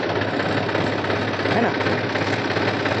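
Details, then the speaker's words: New Holland Farmer 35 Champion tractor with oil-immersed brakes: loud, harsh continuous grinding rasp over the running engine when braking in reverse, mic mounted outside for clarity; brakes to be opened and oil checked. "यह मैंने break लगाया बहुत ही जोरो से आवाज आता है ना आपको महसूस होता होगा"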